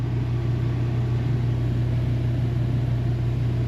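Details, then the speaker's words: One-year-old Mr Heater Big Maxx heater on its replacement motor and fan, after retightening the rubber-washer mounts: a loud, steady low hum with a coarse rumbling buzz, vibration felt in the cord and cage. The owner suspects a bent fan blade, unconfirmed. "you can really feel the vibration in the power cord and the cage"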